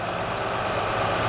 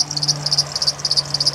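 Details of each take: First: 2007 Honda Odyssey after replacing the serpentine belt tensioner assembly and bad crank pulley (harmonic balancer): steady, even idle hum with no chirp or squeak; belt drive now quiet and healthy. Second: 2007 Honda Odyssey at idle: sharp high chirps about eight per second from the serpentine belt area. The owner suspected the idler, tensioner or power steering. One tensioner pulley proved bad, and the tensioner assembly and a bad crank pulley/harmonic balancer were replaced.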